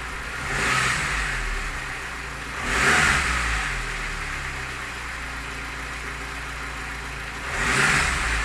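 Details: Lada Niva engine, three throttle blips over a rough idle: each rise brings a harsh rattle that follows revs; owner asks what the knock is, source unclear.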